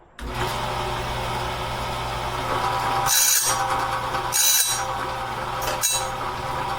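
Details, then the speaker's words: Clarke heavy-duty sawmill blade sharpener at medium speed, sharpening a 2-inch-wide, 223-inch bandsaw blade; steady gritty grind over a motor hum with a brighter rasp about every tooth pass, running normally and leaving the blade fully sharpened. "Well, there we have it, folks. That's a blade fully set, fully sharpened, ready to go back on the sawmill to cut more lumber."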